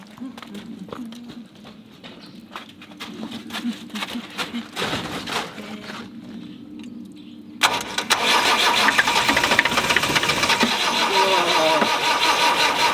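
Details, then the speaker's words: Land Rover 90 with a normally aspirated diesel, unstarted for eight years, oil put down the bores first: slow, steady cranking at two to three turns a second with no firing; cranks but won't start. "typical land rover it won't start"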